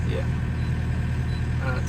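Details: Diesel machine warming up for five minutes before its 250-hour engine oil and filter service: steady, even idle with a deep, smooth rumble and no knocks or misses; running healthy.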